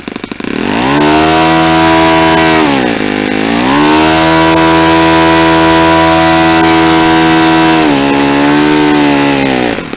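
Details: Saito 50 four-stroke on its first run after a rebuild (new ring, new bearings), warm, APC 11x7 prop, Omega 10% fuel. A high steady buzz climbs as the needle is leaned, dips briefly twice, then holds near peak RPM. The mixture is lean with reduced exhaust smoke.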